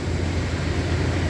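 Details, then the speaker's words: 1994 Chevrolet OBS truck petrol V8 after fuel pump and sending unit replacement, primed several times before starting, no leaks seen: steady, even low rumble at idle with no knocks, misses or squeals; normal idle. "Prime back up one more good time hope his battery is still charged oh There She Goes and that's all it took shoot yeah and I think we're back"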